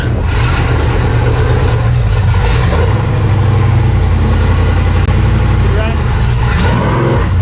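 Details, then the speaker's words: Race car being test-fired after a new fuel pump was fitted and oil pressure was primed; it cranks on and on with a heavy low churning and never catches because the fuel shutoff was closed; crank, no start. "Ran out of gas. Ran out of gas? Okay, so something. Oh, wait, oh, the gas is off. Oh. That'll do it."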